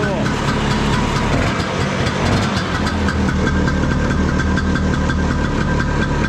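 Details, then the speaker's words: 1972 Ski-Doo Elan snowmobile, single-cylinder two-stroke, after repairs: steady, even popping at idle with no misses or knocks; running cleanly. "it's a 340 single start it up let it run it's gonna be a little smoky those single cylinders just have their own sound sounds pretty cool"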